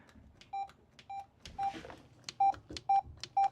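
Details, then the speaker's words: Laptop on bench, possibly liquid (coke) damaged: six short mid-pitched beeps at about two per second at power-on, new behaviour, two power lights on but no screen image; cause unconfirmed. "Ah, we now have a beep. The laptop has just beeped to me, which is new. It didn't do that before. We've got two power lights down here. Put these down again so we can see what's what. So, we got two power lights down here. Still nothing on screen, though."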